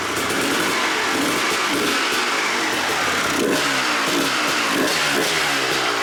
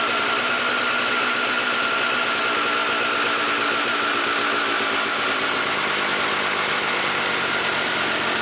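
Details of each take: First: 1997 Suzuki RM250 two-stroke, abandoned and not run in years, fuel line just reconnected: repeated short throttle blips rise and drop over a raspy idle, very smoky, only staying running with the choke on. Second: 1997 Suzuki RM250 two-stroke after carb jets were checked and cleaned, choke off: crisp, buzzy, steady idle without stumbling, bike running amazing; mid throttle was a little boggy on a test ride.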